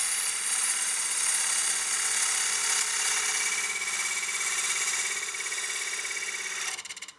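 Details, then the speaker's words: Wood lathe push cut on a partially seasoned walnut bowl after adjusting the tool rest for more tool support: a smooth, even, high hiss holds steady with no chatter, then stops, a clean cut. "and you could hear that tone change we got once we adjusted that tool rest and got more tool support we got a lot less chatter"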